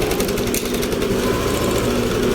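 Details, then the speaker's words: Yamaha Aerox scooter idling right after an oil change to Supremium engine oil; even, steady idle with constant pitch, no knocks, rattles or hunting, less vibration and quieter than before. Normal idle. "Naging tahimik yung makina. Although talagang tahimik naman talaga yung makina ng Aerox, pero ngayong nagsalin tayo ng ito nga yung Supreme engine oil, medyo mas gumanda, mas tumino yung kanyang ano."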